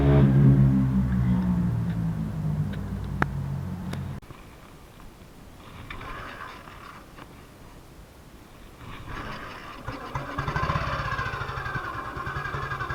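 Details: 1958 BSA C12 single-cylinder on a road test after a misfire fix; the misfire had earlier caused a breakdown, and the battery tested fine at 6.3 V. Steady, even thumping, then wind rush as it rides off, with no misfire. Sounds like it used to: normal running.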